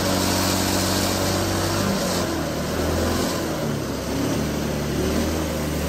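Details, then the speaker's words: Hydrogen-fuelled single-cylinder engine with diesel swapped in for the cooling water injection, hydrogen turned almost off, at full RPM and full throttle: harsh uneven knocking and heavy vibration, smoking but still running. "The engine is vibrating like mad, so I'm getting a lot of knock. The engine doesn't really like it, but it is running."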